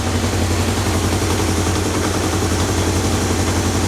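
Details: 1978 Kawasaki KZ650 four-cylinder after carburetor synchronization with a Digi Sync tool, readings 61, 62, 63, 60; steady, even drone with a smooth, regular beat, no misses or hunting, carbs well balanced; normal running.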